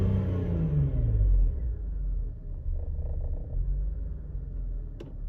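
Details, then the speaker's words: BMW E39 Touring after expansion tank replacement, idling after a failed test drive with air conditioning and other loads off: low, lumpy, uneven rumble that rises and sags with no steady beat; rough idle, cause unknown. "well unfortunately the test drive did not work out so this thing and we have air conditioning off we have all the things off that might be affecting the idle and it's"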